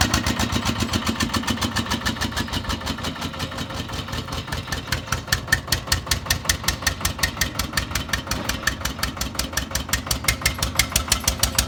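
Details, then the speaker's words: Old Winget one-ton dumper, long-stored single-cylinder Lister PH1 diesel: loud, evenly spaced thumps about five per second, steady speed, rattly top end. Owner suspects blow-by from badly worn rings; filters long unserviced. "the uh gonna be a blow-by on the engine so imagine the rings are quite bad on it"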